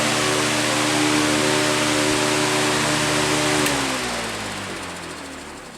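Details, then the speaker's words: New Commercial Electric SFC1-500B 20-inch high-velocity floor fan switched off: steady hum drops in pitch as it coasts down, with stiff, dry bearings audible; shipped with inadequate lubrication. "yeah the bearings are stiff and you can hear them as it was slowing down you can hear the the the bearings"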